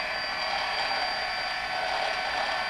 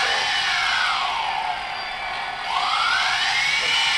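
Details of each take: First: DJI Phantom brushless motor, before oiling: steady high whine with a gritty, rasping grinding spin, possibly dry bearings; owner plans to apply high speed brushless motor oil to the top bearings. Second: DJI Phantom brushless motors after the bearings were oiled with high-speed brushless motor oil: a high smooth whine rising and falling with speed, the grinding gone. Normal running.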